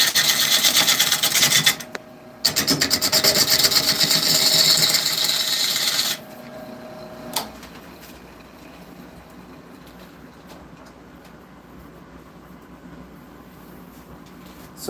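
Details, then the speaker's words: Woodturning a cherry bowl on the lathe: rough rhythmic rasps as the gouge catches only the high spots of the out-of-round blank, then the cut goes quiet and even once it contacts all the way around. "So you can hear it as it, when I'm first hitting, it's only hitting certain spots. And then as it goes all the way around, it's more consistent sound."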